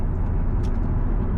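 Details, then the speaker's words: Chevrolet Corvette C5 cabin while driving, after new wheel bearings, spark plugs and wires were installed: steady low road and engine rumble with no growl or hum rising with speed; quiet, normal ride. "Finally, you can hear it's like dead silent in here basically. Beautiful."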